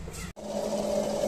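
Short run of a steady, even hum with a constant mid tone and no rattle or chatter; booster pump running smoothly.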